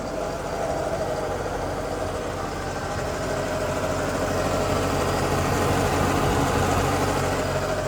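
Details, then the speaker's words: 2009 Mercedes-Benz SL550 at idle: steady idle with a low moaning, gritty drone over the engine from the noisy ABC hydraulic pump. It gets louder on acceleration; a suspension rattle was also noted. "pump is making all types of noise. It's moaning and grinding like a '9s R&B hit."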